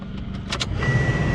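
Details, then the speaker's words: 2002 Toyota RAV4 HVAC blower after fixing a reversed-wired new fan that spun backwards, wires spliced correctly: a few clicks, then blower spins up to a steady even whoosh with faint constant whine; good airflow, normal blower operation. "Yeah, we got good airflow now. I'll tell you what."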